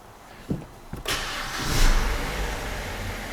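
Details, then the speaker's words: BMW E87 with N45B16 engine after VANOS replacement and VANOS adaptation reset, previously knocking: cranks briefly, catches and settles into a smooth, steady idle with no knocking; sounds healthy, normal start and idle. "Нет, всё идеально. Черт, я в шоке. Не могу в это поверить. Оно просто восхитительно свежее."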